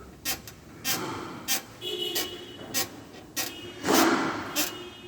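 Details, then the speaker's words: Jeep Compass T270 front underbody creak during parking manoeuvres and pulling in or out: repeated squeaky creaks, about eight in five seconds, from the loose engine skid plate rubbing at its bolts; fixed by removing bolts, lubricating, fitting wider washers. "Vocês viram o barulinho? Esse barulhinho dá na hora de você manobra, ó."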